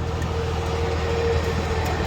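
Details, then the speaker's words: DK2 Warrior Samurai 17,500 lb winch on a MAXXD roll-off trailer after repair; steady, even motor hum with low drone, no knocking or grinding, then a clean stop; winch working normally. "Pulls up without any drama."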